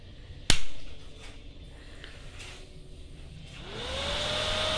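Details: Inverter welding machine cooling fan after reinstalling fan and placing its wire correctly: switch click, rising whir, even smooth rush; earlier flapping sound gone, likely caused by the wire.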